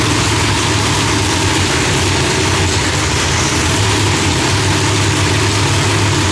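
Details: Engine after fixing fireballs by setting Holley distributor to falling edge, timing off about 6°, idle still to be tuned for new heads: deep, loud, steady even burble with no popping or backfiring; runs properly.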